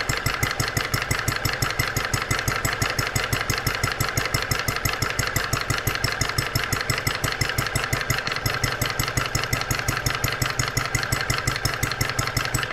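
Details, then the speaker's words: New Stirling kit vintage horizontal mill engine, first run after richening mixture, water pump working: crisp, even exhaust beats about three per second, no misses or knocks; normal running. "what an incredible brand new engine listen to it"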